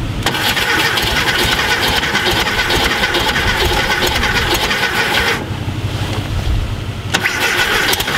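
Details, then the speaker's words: VW Thing Type 181 sitting since 1989 (32 years), cranked on a borrowed Tundra battery with spark confirmed; starter spins steadily for several seconds with no catch or fire, crank-no-start; owner suspects low compression on one cylinder, maybe fan noise. "this that doesn't sound good maybe we have a little compression that doesn't sound good i'm going low compression that cylinder does not sound good"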